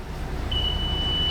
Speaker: That is the ice cream machine. The ice cream machine is in there and the alarm on it is going off.